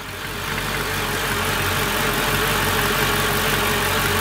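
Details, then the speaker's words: C55 AMG after manual transmission swap, first start, starter bolts previously loose: steady idle with a loud airy hiss that swells and persists, unidentified noise; intake manifold suspected, not confirmed. "I don't know what that is all right you guys well this is not supposed to be an engine diagnose video right now"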